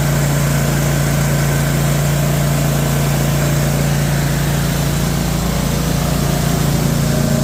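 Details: Cub Cadet mower: the small engine runs steady and even with a smooth low hum, no misses or knocks, and sounds healthy.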